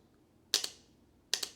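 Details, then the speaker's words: Mazda Miata NA/NB cruise control actuator on a bench test, one of its three coils grounded: two crisp, clean double clicks under a second apart. The coil pulls in properly and the actuator works. "The actuator contains 3 different coils. If one of these coils is grounded by the cruise control module, then you should be able to hear it click. So let's test if we have a working actuator."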